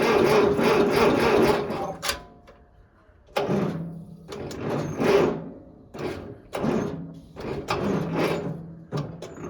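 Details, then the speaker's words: Farmall Cub 140 four-cylinder tractor, sitting five years, fuel leaking from the carburetor: uneven bursts of starter cranking, roughly three a second, stopping and restarting, but it never catches; cranks without starting, cause unconfirmed. "well maybe not folks maybe not she is dripping out of the carburetor pretty good um I don't it was spinning really good there for a minute"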